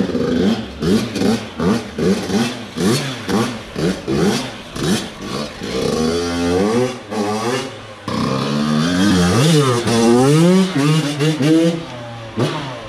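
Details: Yamaha YZ85 two-stroke after gear selector fix: crisp blips about twice a second, then longer rises and falls in revs, picking up cleanly; running well.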